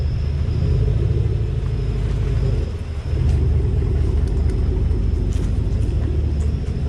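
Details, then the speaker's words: 2018 Chevrolet Silverado with 3-inch leveling kit, driving after front suspension inspection; only even tire and engine rumble, no creaking or ticking; front end now quiet, though rear leaf springs still rattle. "but I did not hear any more of that creaking ticking crap noise that was freakin annoying"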